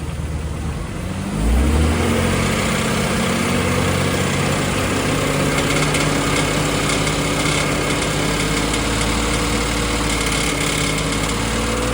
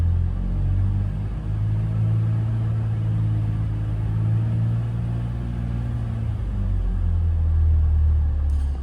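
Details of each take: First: BMW X5 E53, M54 3.0i, slightly warmed engine: a brief rev to around 2000 rpm, then idle, with a faint uneven tapping/knock under the engine note from the cracked torque converter flexplate. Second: BMW X5 E53, M54 3.0i, after flexplate replacement: smooth, even low rumble held around 2000 rpm with no knock or rattle; former flexplate noise gone, normal running.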